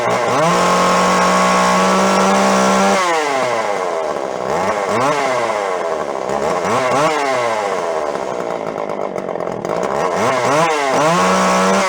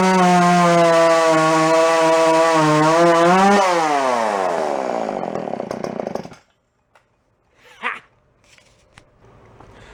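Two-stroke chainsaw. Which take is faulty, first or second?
first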